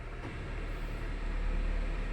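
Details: Honda CR-V 3rd gen, after fan belt snapped from seized bearing and was replaced with tensioner, battery light now off: even low idle rumble with AC on, no squeal or chirp; AC blows cold, running normally.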